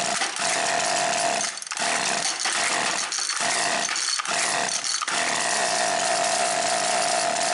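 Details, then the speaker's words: Husqvarna 325P4 pole pruner before repair, intermittent no-start: the small two-stroke screams but cuts out in ragged gaps about every second, a severe ignition miss from a chafed, shorting spark plug lead whose insulation sleeve had slid up. "I'm getting intermittent fire. It'll crank fine for a couple pulls. And it just misses like crazy."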